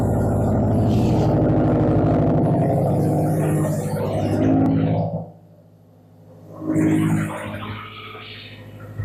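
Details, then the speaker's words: Subaru with straight-pipe exhaust (muffler deleted), started in garage, knock reported at higher rpm: loud open-pipe idle, steady even rumble, no knocking at low revs; normal idle with no audible knock, knock appears only when revved. "so hopefully you can hear me it sounds normal I don't hear any rod knock at all"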